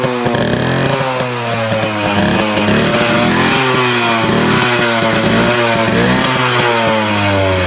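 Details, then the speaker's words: 2001 Suzuki Samurai two-stroke motorcycle just started after about two years standing, cold start: crisp two-stroke buzz revving up and down freely, no misfire or sputter; healthy normal running. "നമ്മുടെ Suzuki samurai 2001 model വണ്ടിയാണിത് ഇത് start ആയിട്ടുണ്ട് ഏകദേശം രണ്ടു വർഷത്തിനു ശേഷമാണ് ഇത് start ആകുന്നത്"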